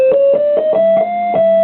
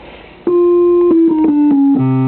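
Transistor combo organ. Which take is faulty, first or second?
first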